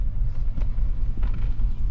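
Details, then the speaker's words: 2500 Suburban V8 idling low and rough with no codes at first; low, uneven rumble with irregular thuds and dips. Owner wonders about the alternator. A flashing check engine light follows: rough idle with misfire. "it's starting to run kind of rough I don't yeah hear it and it's idling pretty low no codes though"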